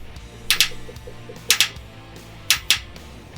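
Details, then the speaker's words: 2011 Isuzu NQR, mic under passenger side at the DEF dosing injector, actuated by scan tool: crisp double clicks about once a second; injector pulsing electrically, normal, though a mechanical blockage is still possible. "now I want to actuate this injector and we should be able to hear it click"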